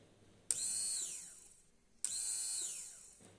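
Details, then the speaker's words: Old Peugeot electric fuel pump bench-tested on 12 volts, removed after it suddenly stopped following a change in its sound: two short runs of high, shrill whine spinning up then fading; pump worn, failure blamed on its worn filter. "j'ai fait le test du fonctionnement de l'ancien pompe c'est une pompe qui s'est brusquement arrêté suite à un changement de bruit c'est dû à l'usure de son filtre"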